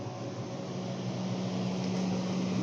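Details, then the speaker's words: Refrigerator evaporator fan after ice around the fan was melted away with a hair dryer: steady low hum with an even fan whir, no clicking or scraping; the earlier noise from the fan striking ice is gone. "a ventoinha funcionando e o barulho deixou de existir"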